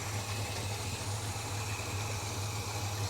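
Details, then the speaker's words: Holden HK at idle, uneven lumpy idle with an irregular low pulse of about two beats a second, checked with a timing light; ignition timing found far out, cause not confirmed; timing then to be advanced. "let's see how we go that sounds like the time and so far out it's not funny"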